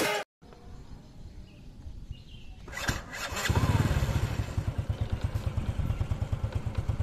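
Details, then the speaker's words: 2008 Honda Supra Fit X, 16 years old, idling in neutral after starting, with no white exhaust smoke. The engine is slightly rough, with a fast light sewing-machine ticking the owner suspects comes from the rocker arms or valves, unconfirmed. It still pulls well. "Ini yang tadi gue bilang ya, ada suara mesin jahit gitu. Ini dari pelatuk atau klepnya."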